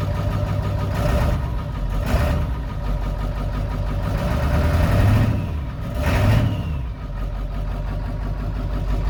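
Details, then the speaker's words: Ford 7.3L Powerstroke diesel (lift pump, no electric pump), new fuel tank and filter, just reprimed after sitting days with empty fuel bowl; heavy idle with uneven, lumpy rhythm and sagging revs as air still bleeds out of fuel system. "Let it breathe all the air out of the system."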